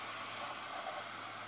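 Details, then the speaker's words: Xbox 360 slim after laser replacement, playing Alien vs Predator from disc (not installed to hard drive): steady airy whir, no ticking or grinding, disc keeps spinning and drive reads normally; fans running. Normal disc spin. "still spinning the disc this game has not installed my hard drive so it's going to of course"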